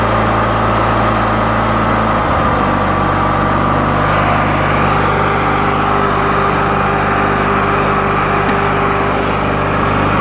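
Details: 1991 Murray riding mower (usually starts without choke): small single-cylinder engine settles to a steady, even idle after a brief speed change, no misses or knocks; it runs normally.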